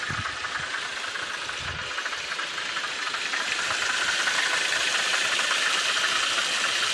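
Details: VW Passat B5.5 1.8T 110 kW at idle: light, rapid ticking at about four per second over a steady idle hum; a knock at idle whose cause the owner does not know.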